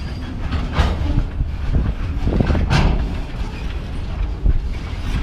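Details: Escanaba & Lake Superior Railroad train led by ILSX 1338 (EMD SD40-2), mostly wood loads, northbound: heavy low rolling rumble with irregular clanks and clacks growing louder over one stretch of rail behind a snowbank; cause unknown, observer suspects a future rail issue.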